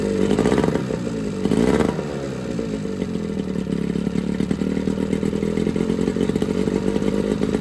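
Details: Johnson 9.9 two-stroke outboard (kicker motor) after a carb kit rebuild and new plugs gapped to spec: small two-stroke buzzing and rattling at a steady fast idle after a couple of brief revs, pretty quiet; running evenly, normal.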